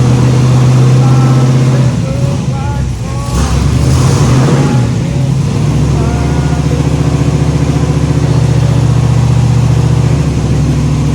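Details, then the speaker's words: Freshly rebuilt 409 small-block Chevy V8 in the Little Red shop truck, restarted after setting timing and fixing a fuel leak: deep, even burble at steady idle with no knocks or misses; running clean. "as soon as I got the timing close, the thing fired right up and I had the camera off. So we ran it just for a few seconds and shut it off."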